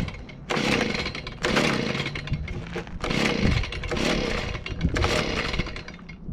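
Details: Stihl BG55 handheld leaf blower two-stroke, first start after fitting an aftermarket carburetor, primed and on choke: catches and buzzes high and raspy in surging bursts; running after repair, idle later needs adjusting.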